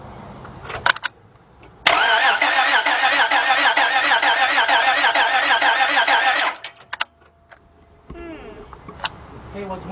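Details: 2006 Honda Odyssey 3.5 V6 with a cranks-but-no-start complaint after it stopped while driving: the starter spins the engine quickly and unusually evenly for several seconds with no firing.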